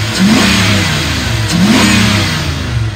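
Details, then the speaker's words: 2002 Dodge Ram 3500 utility truck, 5.9L V8 gas, automatic, 122,000 miles: two quick throttle blips, pitch climbing cleanly and dropping back to steady smooth idle without stumbles or knocks; responsive, normal revving. "very responsive revs up nice and idle smooth"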